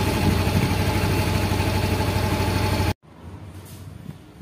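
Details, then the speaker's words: Yamaha Mio M3 (XRide Blue Core) after throttle-body reset via function display: starts easily and settles at a steady 1450 rpm idle, even thump with no dips or surges; previously idle started low then rose, now stable. "Nah untuk hidupnya motor enak ya langsung di 1450 kita Biarkan aja dulu"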